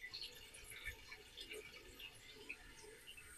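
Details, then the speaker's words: Running toilet being diagnosed; after flushing and the flapper closing, the tank refills: soft steady hiss of water with light trickles and drips, a normal refill. "Okay, so now that the flapper has closed, what we're going to do is let this fill up again."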